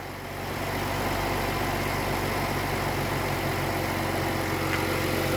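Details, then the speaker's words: 2014 Jeep Cherokee after misfire repair with the #3 coil pack moved to cylinder 1 and only permanent code P0303 left: steady, even, smooth idle with no stumble or miss; runs normally. "sure runs pretty good runs pretty damn [Music] smooth"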